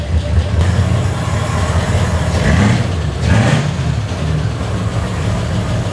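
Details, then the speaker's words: Ford Bronco prerunner just after fitting a new tunable Fiveology Racing computer, which changed how it runs: even low idle rumble with a couple of quick blips rising and settling cleanly, no miss or knock; normal idle. "Woo! Let it clear out. Sounds pretty good. Nailed it."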